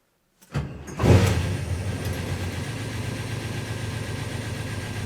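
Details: 1971 Chevelle SS LS5 454 on its first start with a warranty-replacement FiTech Go EFI 8 1200 hp, electric fans disabled: cranks briefly, catches, and settles into a deep, steady V8 idle with even firing and no misses or knocks. Healthy start.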